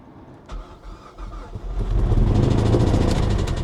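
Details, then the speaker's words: Highly modified 2013 Mazda 3 at Copart, started in neutral: cranks, then catches into a loud, uneven, clattering rough run. Speaker calls it a whole-engine issue and says the car was raced hard; cause not confirmed. "Oh, that's bad. That was really, really bad. I can't do that again. That's That's a whole engine issue right there."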